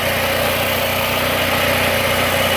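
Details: Bolens AJ Foyt 3014H lawn tractor with a Briggs & Stratton 14HP opposed twin, running after a solenoid replacement and rewiring with safety switches bypassed: even, steady buzzing drone with no misses, knocks or surging. Normal idle.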